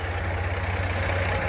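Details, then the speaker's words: 1949 GMC 100 5-window pickup, six-cylinder, odometer 2,464 believed since restoration: even, low steady idle pulse with no knocks, misses or ticking; quiet, smooth, healthy normal idle. "And she's running. Nice and quiet and smoothly, I might add. You can hardly hear it."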